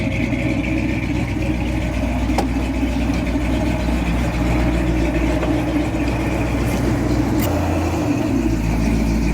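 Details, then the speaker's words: 40-year-old Jeep J10 Honcho, run after 20 years sitting in a barn, with rebuilt carburetor and tune-up; accelerator-pump return spring still missing. Steady low idle with an even pulse, no stumble, a couple of faint clicks. Normal idle. "It went pretty good. We still need a return spring on the carburetor for the accelerator pump, but other than that, it went pretty good. It runs smooth, idles, it shifts."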